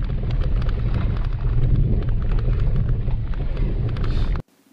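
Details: Maruti Wagon R, driving: heavy road rumble with irregular sharp knocks from the front end on both left and right sides; worn front ball joint knock.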